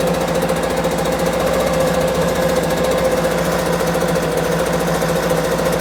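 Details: Homelite UT08572 small two-stroke keeps a fast, slightly ragged buzz while the idle screw is adjusted, before a compression test; it never drops to a slow steady idle.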